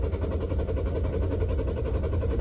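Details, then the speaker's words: Toyota Vios that stalled while driving, fuel present, cranked after about a minute: starter turns engine evenly but it never catches; preliminary diagnosis failed fuel pump, PSI fuse checked and not blown. "ไม่ติดนะครับผม[เพลง]ไม่ติดแล้วนะฮะคันนี้สันนิษฐานเบื้องต้นอาการนี้ปั๊มติ๊กนะฮะปั๊มติ๊กพังแน่นอนนะครับ"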